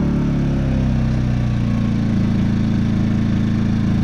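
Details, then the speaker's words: Predator 2000 watt inverter generator after the fix for a whistling, bad-running condition, running on eco throttle: smooth, even low hum with a steady beat, no misses or surging; normal running. "Sounds beautiful. And that's all there is to it, ladies and gentlemen."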